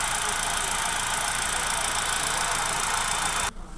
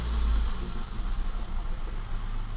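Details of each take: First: 2017 Hyundai i20 after misfire repair including wiring: petrol engine idling steadily with hissy engine-bay wash, no misfire stumble or exhaust missing, until shut off. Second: 2017 Hyundai i20 at idle, heard from rear of car: rough uneven stumbling beat, misfire with fluctuating rpm; also occasional stalling and poor mileage; faulty spark plugs suspected.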